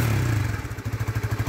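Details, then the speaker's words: Honda RS150 FI after top overhaul, now quiet: low even putt-putt at about ten pulses a second with no misses, clatter or hunting; steady, healthy idle. "Yan o. Tahimik na siya mga bro. All goods na."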